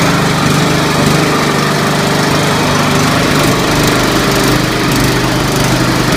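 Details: Scotts 1742 lawn tractor, Briggs & Stratton Intek 17 hp OHV, after head gasket replacement, valve lash adjustment and full service: smooth, even single-cylinder run with no knocks or misses. Normal running.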